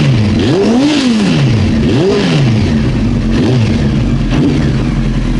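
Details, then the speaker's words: Honda CBR900 Fireblade after a running-issue repair, tank and airbox refitted, checked for flooding or a dead cylinder: clean rev blips with no pops, backfires or stumble, all cylinders pulling evenly; healthy revving. "Looking alright, really."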